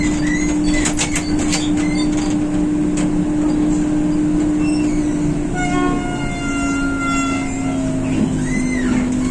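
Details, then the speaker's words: Riding a 1993 ZIU-683 articulated accordion trolleybus, 29 years old, in Ryazan: steady low converter hum throughout, with high squeaks creaking in and out from the worn articulation joint. "アーティキュレーションのきしみ音、コンバーターのハム音"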